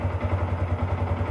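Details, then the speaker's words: Yamaha R15, 10 years old, engine never opened, idling after first oil change in 5 years (only 100-200 cc old oil left): steady thumping idle about 7-8 beats a second, no knock or rattle; normal. "Udah sedikit lebih terasa lebih halus suaranya dan tidak ada tarikannya lebih enteng karena olinya beli baru, tarikan enteng."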